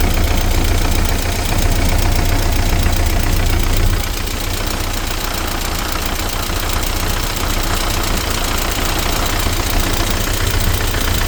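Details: ZMZ 409 engine at steady idle with a regular light knock, about three to four a second, over the low rumble. The ticking is from the top end, attributed to the hydraulic lifters and timing chain.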